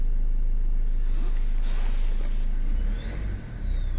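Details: Renault Kangoo 1.5 dCi diesel after fitting a bench-tested cylinder-one injector in place of a dead one: low, steady diesel clatter at even idle with only a brief dip; weak battery noted; engine runs normally, repair finished.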